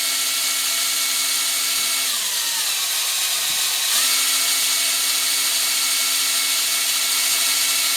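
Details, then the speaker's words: Oil pump on a newly rebuilt 347 V8 being primed with a drill after winter storage, running Mobil 1 synthetic: a steady drill whine that sags briefly under load then recovers. It pressurizes the crank bearings and rockers normally. "I'm not that expert of an engine builder, but it's pumping oil through all of it just like when the engine's running. Lubricating everything."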